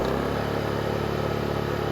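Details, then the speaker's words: Honda EU2000i inverter generator after carburetor rebuild and fouled fuel system cleanup, air box, filter and breather hose correctly fitted, eco mode off: steady even note holding firm as load steps to about 780 W at 125 V, no hunting or surging. "got 125 volts off echo set up on watts very smooth transition into 750 watts it's actually 780."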